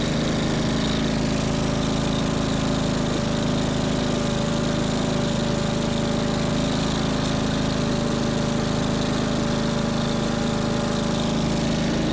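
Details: Small single-cylinder engine salvaged from a junk go-kart, running on the stand after carburetor cleaning and a point-gap adjustment: a steady, even drone at constant pitch with no stumbles or knocks. The engine runs healthy.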